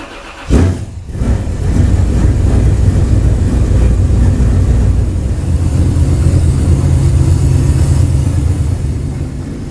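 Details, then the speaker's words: 383 V8 (430 hp) square-body Chevrolet C10 with newly installed, poorly tuned fuel injection, warm engine: fires after a short crank into a lumpy, irregular loping idle struggling to stay lit; hard warm starting, parameters being dialed in manually. "i wasn't totally satisfied with the way the engine ran and it had a really hard time starting warm as well so i decided to come back and try to get some more parameters dialed in manually"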